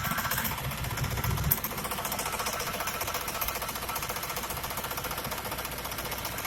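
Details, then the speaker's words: 1979 Pontiac Grand Prix, 4.9 V8 with 4-barrel carburetor, idling cold: fast, steady light ticking, about three to four ticks a second, heard from underneath the car, not the valve covers; occurs only when cold; owner suspects the oil pump. "I'm trying to figure out what this noise is. It only does it when it's cold. I'm not sure if it's the oil pump or what it is."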